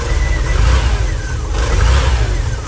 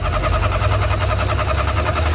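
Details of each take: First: VW camper van revived after 10+ years parked, at idle with exhaust just reattached and empty catalytic converter: deep steady low rumble, gentle rise and fall, no misses or knocks; very quiet, smooth healthy idle, off-idle hesitation gone. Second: VW camper van air-cooled engine, revived after 10+ years parked, idling loud, raw and uneven with the exhaust detached and rattling; running rich, dumping fuel.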